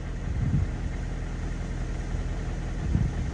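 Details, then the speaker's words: Nissan engine at idle with a low, steady sound and a faint rough grinding that swells now and then; the timing chain tensioner is identified as the source of the noise. "kind of like a little grounding noise but that's the tensioner boys that's the noise that we heard"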